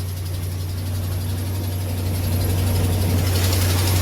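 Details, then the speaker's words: Cold first-morning start of a truck V8 idling: quick, fairly even tick about four per second over the low rumble; not a Hemi lifter or camshaft tick but likely an exhaust manifold stud leak. "okay it's first thing in the morning cold that is not a lifter camshaft type kick"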